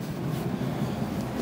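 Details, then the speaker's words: 1998 Ford F-150 SuperCab 4.6 V8: steady hum at a slightly high idle with faint unevenness. The idle rose when the misfire began. "As you can see, it's idling a little high and it started doing that when I started getting the miss."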